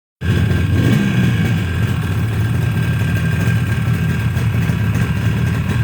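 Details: Yamaha RD 350 two-stroke, first start after rebuild: crisp, even crackle settling into a steady idle with light blips, no knocks or rattles; normal running.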